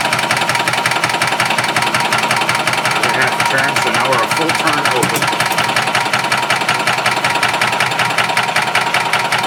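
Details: 1991 Yamaha G8 gas golf cart after carburetor cleaning and fuel filter fill; engine spins over with steady rhythmic churn about three beats a second but never catches; fuel pump suspected of not pumping.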